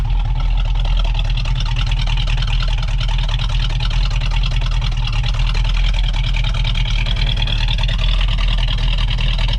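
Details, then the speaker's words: 1970 Dodge Challenger R/T 440 Six Pack big-block warming up at idle on jack stands after thermostat and radiator cap change, before coolant burping: deep, loud, steady lumpy idle with cylinders audibly firing, no knocks or misses; normal idle. "sounds so good i mean you can almost hear you can almost hear the cylinders firing"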